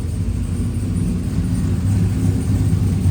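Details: Freshly rebuilt V8 with a stage 3 cam on a stage 2 cam tune, running super rich and awaiting tuning: deep, even rumble with a steady lope, no knocking or ticking, 40–50 psi oil pressure at idle; healthy normal idle.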